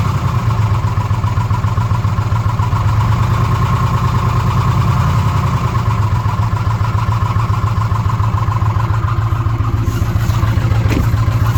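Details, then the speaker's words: 2006 Ford F150 5.4L V8 with code P0016, bank 1, warranty inspection at idle: light tick three or four times a second over a steady low idle, suspected valve train noise up top around cylinders 2 and 3; power balance test attempted. Not confirmed. "In the valve train up top. And somewhere in this area, so 2 and 3. That's just, I mean, that's about where the noise is comi"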